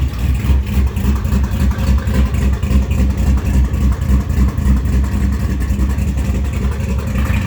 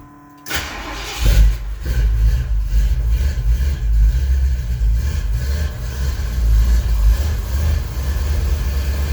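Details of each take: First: 441 engine with MS3 Pro engine management; deep, steady idle pulsing about 3.5 times a second, smooth with no stumble; sounds good at idle, but intermittently breaks up and won't pass 2,700 rpm once warm despite new plugs, plug wires and coil packs. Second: 441 V8 with SHP Pro block, 3-inch Flowmaster 3-chamber pipes, carbureted at almost 7,000 feet: starts first crank, deep lumpy uneven idle through loud pipes; running rich, owner plans to drop about 7 jet sizes.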